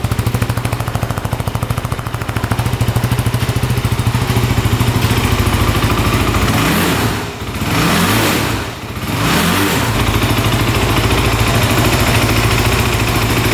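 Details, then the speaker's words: 2008 Kawasaki KFX450 fuel-injected quad in neutral, just jump-started, idles evenly and throttle blips climb and drop back cleanly, revving out fully with no bogging, no smoke or leaks; normal idle and revving. "right now it's sounding great revs out completely no bogging at least in neutral"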